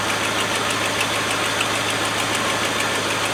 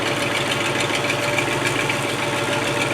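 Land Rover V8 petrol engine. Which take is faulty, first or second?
second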